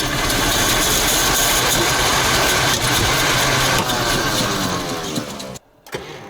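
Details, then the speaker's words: ZIL crane truck petrol engine after 20 years standing, choke half on: fires and runs roughly a few seconds then sags and stumbles out; owner suspects fuel starvation, carburetor accelerator pump to be inspected. "Но он запускается, но стреляет в карбюратор. Мне кажется, ему топлива все-таки мало."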